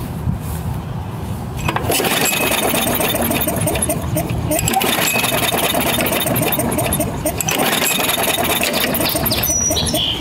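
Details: Craftsman 6.5 hp self-propelled mower, Briggs 190cc, ran rough then wouldn't start, smells of fuel: repeated rapid pull-cord cranking with no firing; cranks but won't start, plug or igniter (magneto) suspected, not confirmed.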